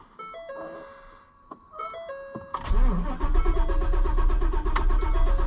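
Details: Auction-bought Ford Super Duty with a constant power drain: starter cranks at a steady two beats per second, music behind, engine never catches; oil pressure comes up.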